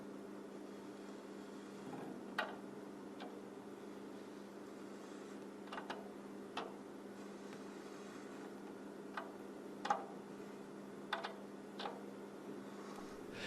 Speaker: this is not caused by a tight tea lug that's binding this is caused by the drum head catching on the bearing Edge